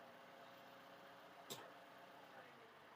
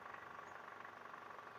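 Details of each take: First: Toyota Camry 2.5 2AR-FE after balancer shaft replacement: quiet, even petrol idle in neutral and in D with no shake or knock, just one brief click midway. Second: Toyota 2AR-FE 2.5 (Camry/Alphard) idling in R or D under load: a rough, fast, uneven clatter from a worn, loose balancer shaft gear. The noise disappears in neutral.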